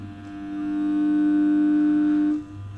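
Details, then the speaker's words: 1 kW off-grid solar setup with charge controller: as load is switched on the charging current climbs to about 20 A, and a steady mid-pitched hum swells in, holds about two seconds, then drops away; this is normal inverter hum under load. "और क्योंकि inverter पे load पड़ता है तो inverter थोड़ा, ये आवाज़ जो आ रही है इन्वर्टर की आवाज़ आ रही है।"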